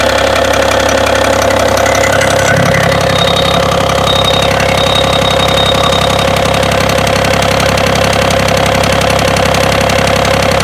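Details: BMW engine at idle: steady idle with a regular light metallic tapping about two to three times a second riding over the engine; knock at idle, cause unknown.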